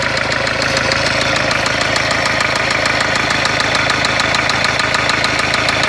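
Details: Renault Kangoo 1.5 dCi diesel at idle: a loud, hard metallic clatter at about three knocks per second rides over the idle; heavy internal engine knock, described as a failed engine.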